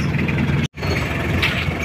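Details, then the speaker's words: Chevrolet K5 Blazer fitted with a Mitsubishi 4D56T turbo diesel, after re-setting to fix low power and misfiring: steady, even diesel clatter at idle, no stumble or miss, no white smoke; cold-start oil-pressure noise stops once pressure rises. "kalau udah naik udah nggak berbunyi dan di sini mesinnya udah enak aman gak ada asap putih"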